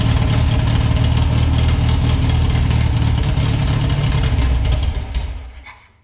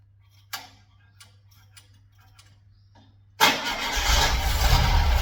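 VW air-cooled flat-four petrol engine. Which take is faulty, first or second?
first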